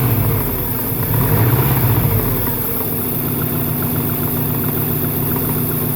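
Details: 1998 Subaru Impreza 2.5RS at idle: a light knock about three to four per second repeats over the low rumble; owner wonders whether it is rod knock, piston slap or something else, unconfirmed.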